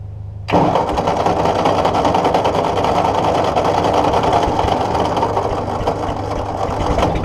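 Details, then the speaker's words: Ford NAA Golden Jubilee tractor (1953/1954) sitting over 20 years, spark restored after fixing a bad battery connection: catches abruptly, runs ragged and uneven, surging slightly, only while fuel is fed down the intake; owner suspects a clogged fuel line. "runs, as long as I keep spraying fuel into that pipe. I'm guessing my fuel line's clogged up, so let me work on that."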